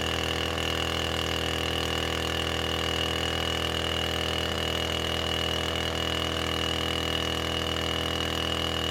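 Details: Husqvarna 455 Rancher chainsaw, about 4 hours' use, that ran rough after warm-up, now with a new ignition coil fitted: steady high-pitched idle with an even buzz and no cutting out or surging; running cleanly.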